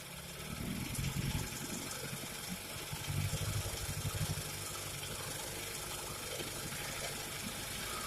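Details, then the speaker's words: Early-1950s Goodyear Sea Bee 5 outboard on its first run in many years after the old gas was drained. It buzzes steadily with a rough but even rhythm, no knocks or misses, running fine. "hello hello i was excited that that motor ran i really didn't think it was gonna but here we go"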